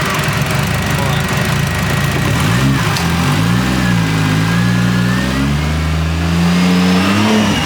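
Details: Scratch-built 1JZ-GTE swapped into a Nissan 350z on first start-up, revved to about two grand: catches, rises and drops back to a steady even idle on its own at about four percent throttle; ran and idled good.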